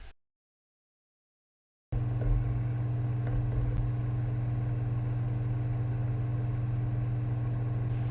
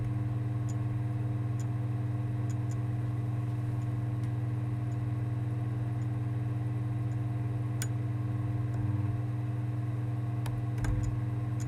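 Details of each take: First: Sony PSX DESR-7000 with Matrix Infinity v1.93 modchip, KHS-400C laser, booting a recordable PS2 DVD: short silence, then a steady low spinning hum without clicking, ticking or grinding, normal optical drive operation. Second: Sony PSX DESR-7000 with Matrix Infinity v1.93 modchip, loading a PAL PS2 DVD: steady low hum with sparse, irregular laser clicks and ticks; the disc never spins up because the laser is struggling to focus and detect it.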